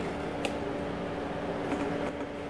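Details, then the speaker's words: CNC router with liquid-cooled spindle: quiet steady whir and faint hum from the control tower fans and the spindle drive fan, no rubbing or ticking; cooling fans running normally. "most of what you hear are the fans on the control tower out you can even hear those little fans there the other fan that's running is on the spindle drive"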